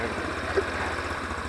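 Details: Taotao 150cc ATV, newly assembled, start after pushing in the kill switch and holding the brake: quick, even low putter, steady beat, no knocks or misses; normal single-cylinder idle.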